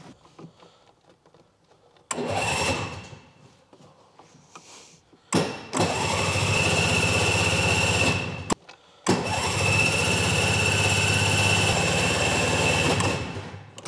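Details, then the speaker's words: Piaggio Ape TM P50 tuk tuk, run-down and in neutral: three multi-second bursts of brisk starter cranking, and the engine never catches. The fuel tank was found empty. No-start from an empty fuel tank. "it sounds like there's there's no fuel oh that's empty that is let's get some fuel"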